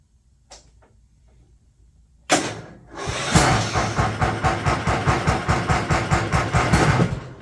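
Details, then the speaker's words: Craftsman ZTS 7500 zero-turn mower, 688 hours, after new deck pulleys fitted: quiet, then engine starts and runs steady and loud with an even pulse, blades engaged via electric PTO; sounds healthy. "Engage the blade, electric PTO. Okay. This thing has 688 hours on it. Seems good."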